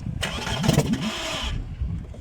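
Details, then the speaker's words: VW Bora 1.6 after engine rebuild with timing belt, spark plugs and camshaft sensor fitted, lambda sensor not yet installed: starting spray in the intake holes, engine catches and runs roughly just over a second, then dies; it fires. "as you can see, just started. The engine is starting. As you can see, it's making fire."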